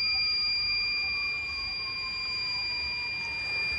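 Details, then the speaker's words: Refrigerant leak detector sensor just switched on while checking a fridge for a gas leak: steady, piercing electronic tone holding unchanged for a couple of seconds while it calibrates itself; normal calibration tone. "it's gonna make this noise for a couple of seconds it will make this noise for a couple of seconds until it calibrates itself so this is calibrating itself"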